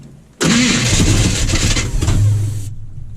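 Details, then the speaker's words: 1980 Chevy K30 small-block 350 first start, powered by a boost pack with the return line plugged: starter cranks hard about two seconds then stops dead when the boost pack cuts out, killing power to the coil; may need a battery. "when the Boost pack kicks off it kills the power to the coil yeah we might we might need a battery"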